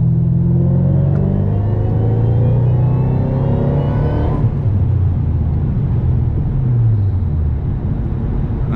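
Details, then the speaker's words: 2010 Ford Mustang GT500 after a low-boost fix, doing a pull in gear with AdvanceTrac off and reaching about 8 psi. Faint whine climbs with the revs, then backs off. Normal supercharger whine under load. "I don't know, it means the supercharger is working. I don't know, but I could hear the supercharger a little bit, and we hit about 8 PSI on that one as well."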